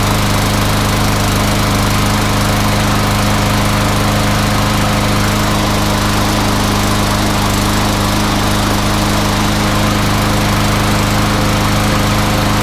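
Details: MTD Yard Machines front-wheel-drive mower with newer Briggs & Stratton engine, after repair for no-start, blade sharpened and balanced: steady even drone at constant speed, no misses, surges or knocks; runs healthy.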